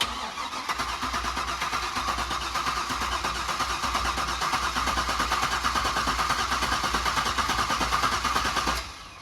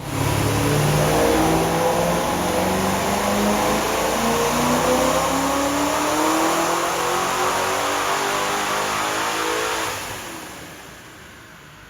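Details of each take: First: Supercharged C5 Corvette Z06, revived after over three years in storage with an installed BCM/key module: steady starter cranking about three turns a second for nine seconds, never catching; injectors not firing, suspected BCM-key communication fault, VATS off. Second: Supercharged C5 Corvette Z06 with extra timing added: pitch climbs smoothly through a long full-throttle pull, then drops as throttle closes, clean with no misses; meth pump not working and fuel pressure dropping up top, slightly rich.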